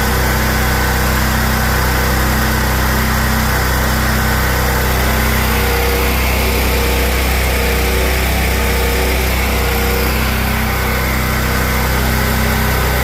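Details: Generator that had a surging idle, after its clogged carburetor idle jet was cleaned (clogging blamed on ethanol fuel): a constant, unwavering drone with no rise and fall in speed. Normal steady idle, fixed.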